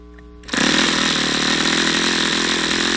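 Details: YS FZ63 glow engine on a test stand, first run, 22% nitro 18% oil fuel, OS F plug: shrill buzzing starts abruptly, raspy, slightly uneven note that wavers without settling; erratic running, won't reach full throttle, owner suspects debris in the fuel regulator.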